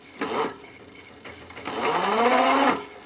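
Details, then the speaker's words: Richbit electric fat bike: a short buzz, then a whine climbing in pitch from inside the hub motor under throttle and pedal assist; the bike has less power than before and something in the motor hinders smooth wheel running. "The sound which you hear comes from somewhere within here in the motor."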